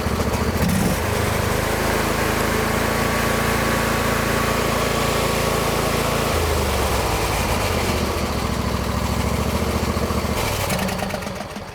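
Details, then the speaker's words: John Deere L120 lawn tractor, Briggs V-twin, sat about a year, after the fix: smooth, even putter at a steady speed with no hunting or stumbling; runs normally. "guys it'll probably start to run even a little better as it gets used because it's been sitting for a while"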